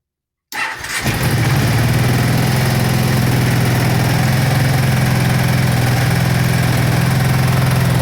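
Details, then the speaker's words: 2005 Kawasaki Brute Force 750 V-twin ATV, unrun about four years, new plugs, petcock and fuel line, carb cleaned; cold start on choke at about 20 degrees, catches right away and settles to a steady, even fast idle; normal. "other than that i mean she's come to life turn the choke on"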